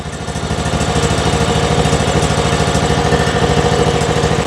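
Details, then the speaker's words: John Deere riding mower, Kohler Command single-cylinder engine, after no-start from stuck anti-backfire solenoid and bad gas, running on replacement carburetor: steady even beat at fast idle, no misses; normal idle, slight surging at higher speed. "Come on. Now we're talking. Listen to that thing purr."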